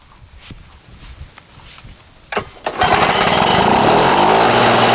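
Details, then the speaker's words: Lawn-Boy 6230 Commercial two-stroke mower with worn primer, old oily fuel drained: several hard pull-start attempts, then settles into a steady buzzing run; runs alright but could use carburetor adjustment; slightly rough running. "But once it's running, it runs alright. Could use a little bit of carburetor adjustment."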